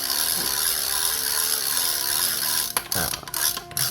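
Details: Shimano Amberjack 7000S spinning reel before service: quick chirping drag clicks keeping pace with the spool; a little rough, bearings possibly rusty or dry.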